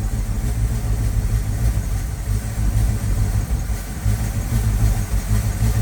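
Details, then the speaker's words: 1979 Ford F350 dually, 400M small block V8, sat about 22 years, warming up: deep lumpy uneven idle with choked breathy note, poor throttle response; owner suspects vacuum leak at intake, later found plugged exhaust. "Trying to get her to take some throttle response, but it seems like it's got a massive vacuum leak around the intake or something."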